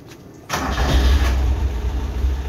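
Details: Car that had sat unused with a drained battery, started after charging the battery with a charger to about 13.4 V: a brief quiet, then a crisp catch straight into a steady, even idle. A healthy start, and the charge light goes off.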